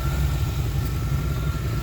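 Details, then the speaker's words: 1989 R30 crew cab square body truck, probably sat four years or longer, now with a cleaned tank, 150-micron pre-filter (replacing a 40) and spark plugs: a steady, even idle with no ticking or misses. It sounds healthy. "there's some spark plugs in it and uh it sounded good no ticks or anything like that"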